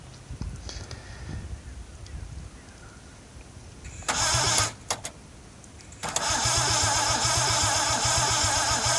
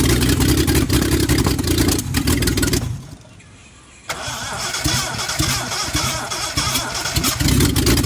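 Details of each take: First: Scimitar GTE unrun for about 25 years, three cylinders low on compression: short bursts of cranking and a steady churning crank that never catches; no spark at all. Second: Reliant Scimitar GTE first start after about 25 years off the road, previously seized pistons, ignition timing reset, wrong carburettor, weak compression: starter whirrs, engine catches and settles into a steady, slightly rough idle with a few blips; it runs.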